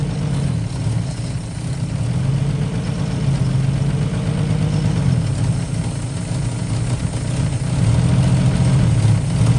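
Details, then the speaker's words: 1955 Chevy V8 running on fuel poured into the carb, as it still isn't drawing fuel on its own: low, uneven rumble that catches and keeps going, running longer than earlier attempts. "all right if you takeaways from this experience well first of all we were able to actually get it to run for a little bit longer so that's good uh here run for a few minutes she sounds really nice um however it's clearly still not suc"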